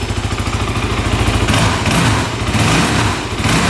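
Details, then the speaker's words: 2008 Kawasaki KFX450 quad: crisp, even single-cylinder putter with quick, clean, responsive revs; no knocking, no smoke, no carb leaks, engine healthy. "all right that sounds really good wow no knocking no smoking"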